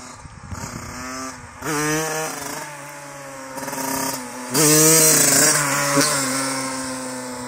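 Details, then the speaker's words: Yamaha YZ85 two-stroke after a fresh top-end rebuild, about 2.5–3 hours on it, revved in neutral: crisp, clean blips climb high and drop back without misfire or rattle. It sounds strong and healthy. "Man, she sounds good. But yeah, this is kind of got like, I don't know, 2.5, 3 hours on it."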